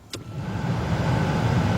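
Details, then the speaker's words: 2005 GMC Sierra 1500 5.3 with no heat or AC, blower motor tested by switching in a direct ground: after a click the fan spins up to a steady, even whoosh, so the blower motor is good. "at that it came on so we know our blower motor it's good"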